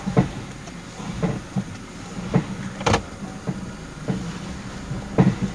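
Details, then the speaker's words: 2018 Toyota Fortuner, clunking under the car when the brakes are applied, forward or reverse: separate hollow clunks about every second, low and sharp with quiet between; a damaged alarm horn came loose from its bracket bolt, fixed and normal after repair. "pelanggan mengeluhkan ada bunyi petak-petak di area kolong mobil atau bawa mobil ketika rem diinjak ya"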